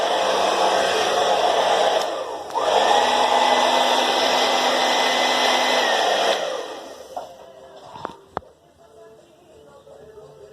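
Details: Philips hair dryer after repair: a part had shifted and the blades were scraping the protective plastics; now steady even whoosh and clean motor hum, then off. Normal running.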